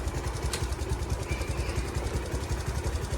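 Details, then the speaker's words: Platina motorcycle after engine repair: even, quick single-cylinder thump of about two and a half beats per second, steady with no knock or misses. Healthy idle. "तो अब मैं इसको आपकी आवाज़ सुनाता हूँ कि आवाज़ कैसे दे रही है। अब ये बाइक कैसी आवाज़ दे रही है और ना भी धुआं"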